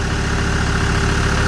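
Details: Land Rover Discovery 2 idling after injector loom replacement, checked for misfire: deep, steady idle with even low rumble, no stumble or skipped beats; engine runs smoothly, normal idle.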